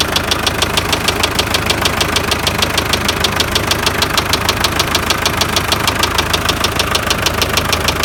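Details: MTZ tractor diesel at idle, with a noise that appeared mid-trip and was driven about 20 km. Steady, sharp metallic knock about three times a second: rod bearing knock. Others suggested a cracked shaft; owner is unsure.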